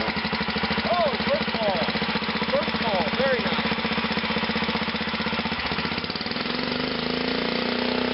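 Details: 1941 DeVilbiss air compressor driven by an 8 hp Kohler cast-iron gas engine, previously non-running, throttle control added: slow, steady chuff about four beats a second settling smoother; healthy normal running.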